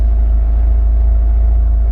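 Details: Jeep Wrangler at idle during bi-directional scan tool tests, injectors judged good: deep, steady low rumble with no misses, knocks or ticks; smooth normal idle.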